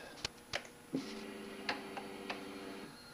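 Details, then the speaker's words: KTM 1190 after fuel pump repair: sharp clicks at key-on, then an even whir for about two seconds stopping cleanly, with the earlier squeak gone; normal fuel pump priming. "sounds good didn't hear the squeaking like it sounded like earlier"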